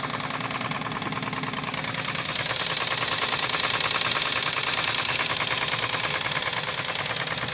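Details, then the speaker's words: 1997 Nissan Maxima A32, 3.0 L automatic, knock began after overheating on the highway and worsened, burns oil at idle: steady hard knocking about three raps a second at idle; owner suspects warped head, damaged crankshaft or bearings, unconfirmed. "масло вообще не ест ничего все покажу снаружи вот короче такая беда не знаете делать под умерла башка то ли повело вал разбилось и вкладыши"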